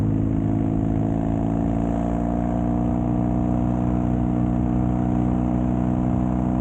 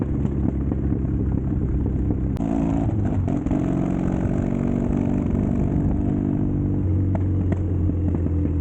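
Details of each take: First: Custom Triumph Bonneville T100 with Down & Out drag pipes, after stage 1 torque kit and stage 4 ECU remap: deep even low twin grumble holding steady, no pops or backfires; healthy exhaust note. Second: Custom Triumph Bonneville T100 on Down & Out Customs drag pipes, before stage 1 kit and ECU tune: loud deep twin rumble with sharp cracks and pops as revs rise and fall; untuned exhaust backfiring and popping.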